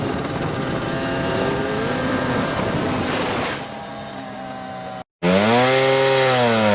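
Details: Yamaha Banshee two-stroke after fixing clogged carburetor jets (it previously ran then died, leaked fuel, wouldn't restart): crisp blare revving freely, then clean even rising and falling rpm, no bogging or stumbling.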